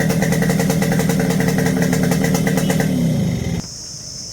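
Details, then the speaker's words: Yamaha RX100 two-stroke with a carburetor problem, screw removed and cables already checked OK: it keeps buzzing at raised revs without settling, then cuts out. High idle persists; carburetor fault suspected. "Screw पण आपण काढून घेतलेला आहे, तरी पण गाडी research राहत्या."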